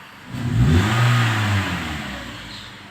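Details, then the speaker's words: 2016 Toyota Sienta after carbon cleaning and tuning, idle now 700 rpm instead of 1000: throttle blip at standstill climbs briskly and drops straight back to steady idle, no hanging as before; healthy response. "Nah, stabil sekarang RPM-nya. Cepat naik, cepat turun."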